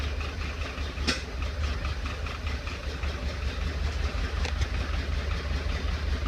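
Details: 1931 Ford Model A, stored in a barn 10+ years without running, first restart on 6-volt battery charger, in neutral with timing advanced: slow lumpy idle with sharp pops coughing back through the carburetor; owner suspects a sticking intake valve rather than the carburetor.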